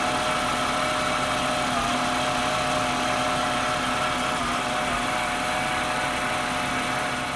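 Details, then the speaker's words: 1996 Jaguar XJ6 after an oil change of about eight quarts, good oil pressure, no leaks; steady, even idle with a smooth hum and no knocks, ticks or misses; sounds much better than before. "but she sounds way better as you can hear the exhaust i made sure there's no leaks under the car nothing so that's good"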